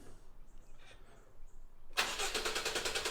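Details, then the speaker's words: 2016 Honda Civic petrol with a P0303 cylinder 3 misfire, cranked with the coils disconnected: the starter spins with an even chug and no hitches. Compression sounds even, so a compression issue is ruled out. Normal cranking. "Oh, that's perfect. Do it again. So it ain't a compression issue. That sounds beautiful."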